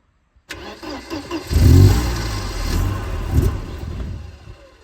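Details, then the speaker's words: Mercedes-Benz 190E, first start in many years, primed with a little chainsaw fuel; starter cranks with brief rough sputter but never runs; no fuel pump sound at key-on, fuel pump issue suspected. "Yeah, so I don't have a fuel pump still. Because I always noticed how much the fuel pump in these cars sounds when you put the ignition on."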